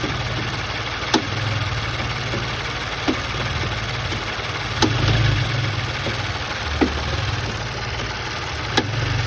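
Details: Engine at steady idle with sharp irregular clacks every second or two; noise caused by loose engine mount.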